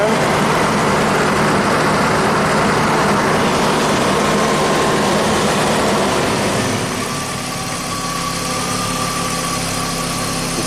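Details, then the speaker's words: 1991 Audi Turbo wagon idling hot, fan cycled again with about 5.8 V on the gauge side: steady idle, then about seven seconds in an even fan whir comes in as the radiator thermo switch switches the electric cooling fan on normally. "all right so this car is not going to overheat at least the thermos switch works on the radiator"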